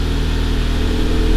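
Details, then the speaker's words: 2011 VW GTI Mk6 started after siphoning out old gas and refilling. The pump primed, and the engine had been misfiring badly with the check engine light on from the bad gas. Now a steady, even hum with no stumble: a normal, smooth idle. "Start. Ooh, that sounds good. That sounds way better."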